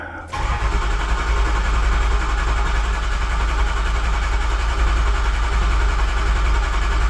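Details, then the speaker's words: Used Ford 6.0 Power Stroke diesel just installed, first crank on a battery jump box: strong, even cranking with every compression stroke alike; starter sounds good, though cylinder two later shows a dead miss. "all right here we go all systems are on this might crank it might not started installed it's good I can deal with the start install starter sounds good"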